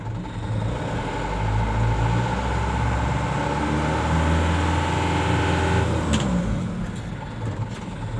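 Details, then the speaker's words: Canter diesel truck in 3rd gear with the right rear wheel lifted and the exhaust brake engaged: a deep, steady low rumble that eases off smoothly. The exhaust brake functions normally despite a leaking wheel brake cylinder. "Kita nyalakan exhaust brake-nya. Oke, bisa berfungsi. Oke, ya terdengar."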